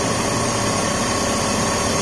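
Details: 2004 BMW 530i after PCV system replacement and reconnecting a knocked-off throttle body connector: steady, even idle with smooth unbroken hum, no misses, knocks or hunting; check engine light cleared, running properly.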